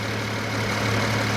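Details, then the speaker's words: 2008 BMW 335i twin turbo idles with a low even hum and no knocking once the accessory belt is removed; rust traced to the power steering pump, which is to be replaced. "it's not making no noise right now no knocking done deal"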